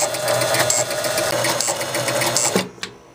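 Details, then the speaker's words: 1976 Gottlieb Card Whiz pinball machine on power-up: steady mechanical whirring of the score motor running continuously, with a new buzz on top, then cutting off. A relay is suspected. "right now I just want you to see this motor going around and around that's probably all we're gonna get wasn't making that buzzing noise before how about that I"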